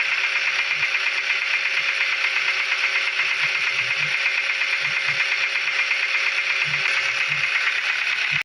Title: Engine Knocking Sound (Rod Bearing Failure Explained)